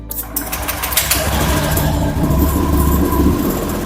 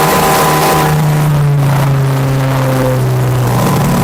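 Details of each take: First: Honda Vario scooter after a throttle position sensor check, with the sensor reading 77° and 4.349 V at full throttle. The starter whirs, the engine catches quickly and settles into a smooth, even idle; full throttle now holds without dropping back: normal start and idle. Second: Honda Vario scooter, about 1400 rpm idle on a diagnostic scanner. At wide-open throttle the revs climb, then sag back instead of holding: hesitation from a faulty throttle position sensor, which was later replaced.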